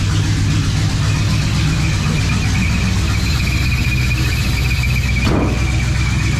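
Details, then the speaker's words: 1972 Chevrolet C10 started; steady high squeal over a rough, lumpy idle; alternator charging but making noises, owner thinks it is toast. "I think that alternator is toast. It's charging, but it's making some noises."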